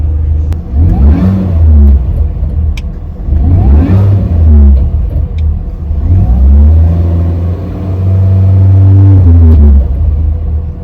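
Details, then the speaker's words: 2005 R53 Mini Cooper S after timing chain replacement and a supercharger service with new gaskets: revs rise and fall through throttle blips with a rough, uneven low growl on lift-off; cause still unknown. "quite clearly here it's still making that uh making that noise so uh I'm not quite sure what that is"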